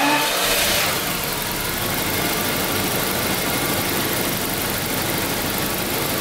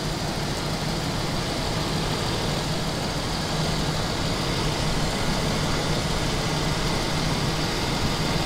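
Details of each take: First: 1992 Daimler Double Six V12, warmed to operating temperature, checked for an odd sound at certain rpm: smooth, even idle hum with no tick, knock or odd noise; normal warm idle. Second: 1992 Daimler Double Six Jaguar V12, customer car, held at raised rpm: steady rushing whoosh over the rumble, no clear knock, airy noise near the oil filter housing; cause unconfirmed, similar noise on another car cured by original oil filter and correct oil.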